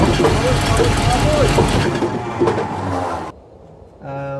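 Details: Australian Ford Fairmont GXL XC during restoration, first engine start: loud rough rumble while cranking that drops away, followed by a short humming tone; source of the noise unidentified.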